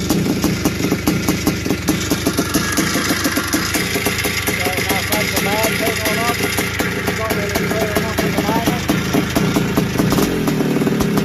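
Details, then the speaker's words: 1981 Suzuki RM465 two-stroke barn find, first start after fuel poured down the plug: revving and idling with a loose metallic rattle through exhaust crackle; owner suspects it needs a top end, heavy smoke suggests blown main seal, clutch side suspected. "it sounds like it needs a top end or something sounds a bit rattly and it could even have a blown sure by the amount of smoke that was going out the back"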